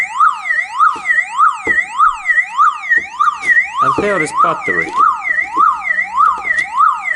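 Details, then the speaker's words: Disconnected old car alarm siren running on its small internal 6 V backup battery; loud rising-and-falling wail, each sweep about two-thirds of a second, never letting up until the battery is disconnected. "and in that way this car alarm is now eliminated and there is no any sound and there is really small pottery like butter is like in our cell phone in here inside and there is 6 volts"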